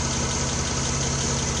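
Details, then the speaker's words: 1993 Geo Metro with restored drivetrain, timing not yet set: smooth steady idle with an even low hum; normal idle, slight valve cover tick remains. "And you hear it just went completely quiet."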